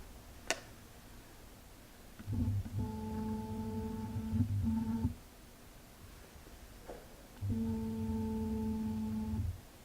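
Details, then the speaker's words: Canon 50mm f/1.8 STM lens on an SL2 camera: two short bursts of whirring buzz, a couple of seconds each, in a quiet room; autofocus motor is very loud and slow compared with the 18-50mm STM kit lens. "it's very loud autofocusing number one and number two is very slow the kit lens is much faster"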